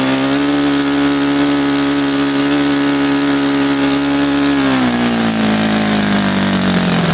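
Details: Saito FA-100 glow four-stroke after rebuild (new bearings, gasket set, tappets; exhaust tappet was mushroomed), APC 14x6 prop, Omega 10% fuel, OS F plug: loud steady high-revving buzz, easing smoothly lower near the end; clean, even firing, healthy.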